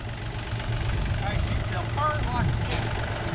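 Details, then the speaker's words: Chevrolet S10 that had sat unmoved for a while, started at the shop: low steady idle with a slightly lumpy, uneven beat; engine misfire, said to run on five cylinders. "runs on five cylinders"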